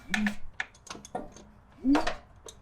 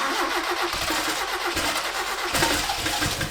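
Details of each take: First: 1976 Toyota Celica RA23 engine, sat for years, crank turned by hand with spark plug removed: croaky frog-like air puffs from the plug hole with light clicks; compression present, engine turns freely, normal. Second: 1976 RA23 Toyota Celica, rebuilt engine stored for years, first cold runs on its own fuel system: it fires, then runs with a lumpy, uneven beat, popping and stumbling before dying; misfire from plug leads in the wrong firing order, possibly running on 2 or 3 cylinders.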